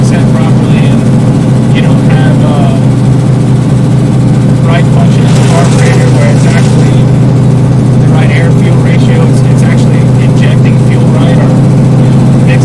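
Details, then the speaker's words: 1972 Plymouth Barracuda, 340 V8, 727 auto, before Hemi swap: lumpy idle with irregular sharp exhaust pops and crackles; running rich, not optimized, exhaust crackle. "I'm just hearing a lot of exhaust crack from the top. I don't think it's optimized right now."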